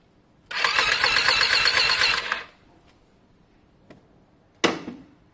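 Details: Lexmoto Diablo 125cc moped on a fully charged battery: starter whirs about two seconds with an even, light cranking beat but never catches, sounding close to firing; cranking but not starting due to low compression.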